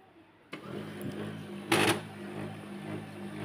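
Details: HP LaserJet P1102 laser printer at power-on: low motor hum with one sharp, loud clacking noise during warm-up; printing also stutters and prints poorly; cause suspected, not confirmed.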